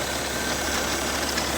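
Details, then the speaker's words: BMW E60 at 192k miles, original parts, idling: dense gritty metallic grinding from the right-side accessory drive; owner suspects alternator bearing or power steering pump, unconfirmed. "all right guys so i've got this kind of strange metallic grinding noise here coming from either power steering pump or what's the name alternator"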